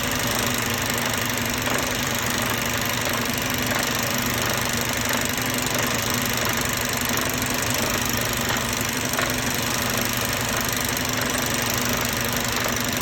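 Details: Mercedes-Benz Euro 5 diesel idling steadily with a loose, uneven knock under the clatter roughly every two seconds; abnormal engine sound being traced with a sound detector, source not yet pinned down.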